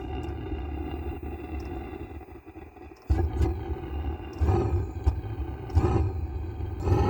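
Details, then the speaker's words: Velit 4000P gasoline heater in a 2023 Ford Transit, first startup after priming, on temporary power with no muffler: quiet fan whir purging fuel, then the glow plug ignites and low roaring surges build. Normal, healthy combustion. "so what it's doing is it's running the fan kind of to evaporate any fuel that's in there then it'll turn on the glow plug and ignite all right just ignited"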